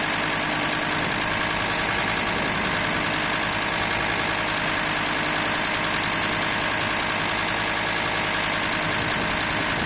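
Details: VW T4 2.5 TDI (AXL) diesel at 1050-1100 rpm only: a fast metallic chatter of about three bursts a second from the serpentine belt area. The belt tensioner pulley is suspected, not confirmed. Engine rattle at low rpm.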